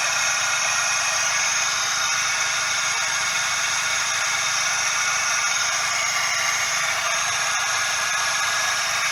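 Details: Suzuki Every DA64V engine: steady dry hissing whir over the engine without a beat, the "shaa/jaa" rush of a belt tensioner bearing; confirmed cause is the belt tensioner bearing.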